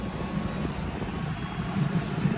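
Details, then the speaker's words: 2008 Jaguar S-Type after new spark plugs, coil packs and intake manifold gaskets: steady, even idle with no stumble, no codes or misfires, coolant being bled. "So far, so good. We're running pretty good. No codes. I mean, no misfires."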